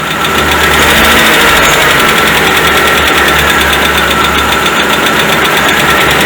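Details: 2010 Citroën C3 16-valve automatic at warm idle: steady rapid knock, three or four per second, over the engine; oil pressure measured below spec at 2000 and 4000 rpm, low oil pressure knocking the bottom end.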